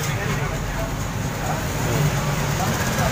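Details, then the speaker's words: Honda Supra X 125 first start after an engine overhaul: new AHM connecting rod, crank bearings and cam chain tensioner, Aspira cam chain, NLK top set and Federal oil. The small single ticks over at a steady, even low beat with no rattle or knock; idle is normal. "udah aman ya udah hidup tinggal dipasangin cover bodinya guys ya"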